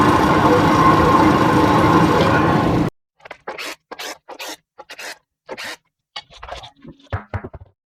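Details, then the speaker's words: GMC Envoy on a hoist, in four-wheel drive and in gear, listened to with a pry bar; loud, rough, steady growl with rumbling hum while wheel spins, worn front wheel bearing. "so put it there and I can hear a real good growly noise"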